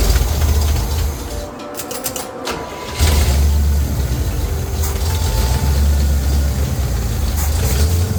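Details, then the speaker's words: Small-block Chevy V8 just fitted with 1.6 ratio roller rockers, valve covers off, brief low-RPM run: low, uneven loping idle that stumbles, no valvetrain rattle; vacuum leak at the open PCV hole. "I was trying to figure out why she was uh stumbling so bad when I was trying to run her with the valve covers off and I realized that her uh I had a huge vacuum leak"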